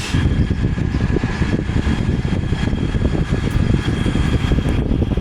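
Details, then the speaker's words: Haier 5K BTU window air conditioner, salvaged from a barn and cleaned and bleach-disinfected, first test run on low fan: a steady low whoosh with a faint even tone and no rattles or scraping. The fan runs smoothly on low. "It's plugged in. We're just going to do low fan first. Very nice."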